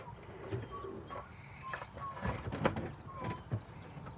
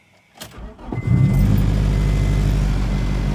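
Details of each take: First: 1999 Acura Integra GSR with a no-start problem: after starter fluid is sprayed into the intake, the engine catches and roars into a fast, busy idle, showing the fuel pump is bad; the pump is then replaced. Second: 1999 Acura Integra GSR right after replacing a bad fuel pump: the new pump primes, a quick crank catches within a second and settles into a steady, even idle with a clean low rumble. Healthy start.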